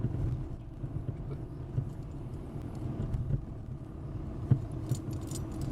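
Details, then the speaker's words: 2006 Mercedes C200 CDI, front lower and upper control arms at about 120,000 km with play in both front wheels, driving on a rough road: scattered dull thumps and resonant knocking; worn control arms. "vais donc changer des triangles donc les triangles pas de nférieure est supérieur car ça fait énormément de bruit actuellement"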